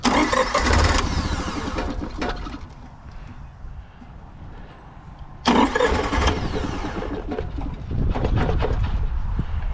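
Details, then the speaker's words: Honda EV6010 generator on a 1976 GMC Transmode motorhome, its fuel-supply rear tank removed, fed by a pump: cranks in two bursts, stumbling and almost catching, then dying; won't start. Owner suspects a leaking carburetor needle and seat, possibly debris. "It's trying to start. Come on, buddy."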